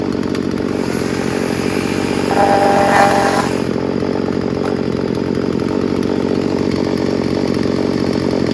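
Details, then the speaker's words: Craftsman 16-inch 38cc chainsaw revved during troubleshooting; no carburetor mixture adjustment needed. Steady two-stroke buzz climbs cleanly on throttle blips and settles smoothly, very responsive. Normal revving. "There's nothing wrong with this. Sounds really good, and it's very responsive too."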